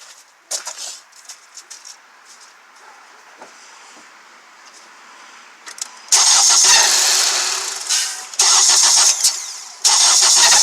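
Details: 2014 Honda CR-V started after sitting about 20 hours, oil 1000 miles overdue: the engine catches, then harsh high squeal bursts with rattle come in surges. Owner suspects the serpentine belt, with the rattle possibly timing. Noise eased with brake cleaner.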